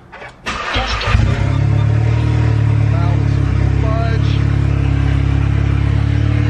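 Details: MK7 Golf R with new Trackslag 4-inch downpipe not yet joined to the exhaust, first start after replacing the broken downpipe: starter crank, then a deep booming, blatty idle drone far louder than before, exhaust open at the downpipe.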